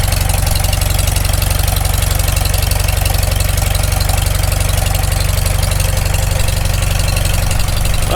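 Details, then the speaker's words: Farmall Super M tractor just after full engine rebuild, first run, warming up: even regular firing about three beats per second, steady deep idle, no knock or miss; normal warm-up idle. "just going to let this run out here for a bit we want to get plenty of heat put in it"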